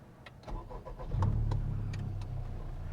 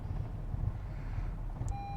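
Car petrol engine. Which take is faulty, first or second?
second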